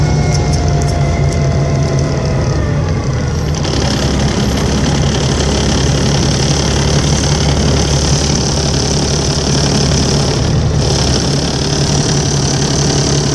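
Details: Volvo 7700A diesel city bus from Budapest (FKU-942) at idle: deep steady drone, faint falling whistle early, odd tonal noises over it; weird noise these buses often make, cause unknown.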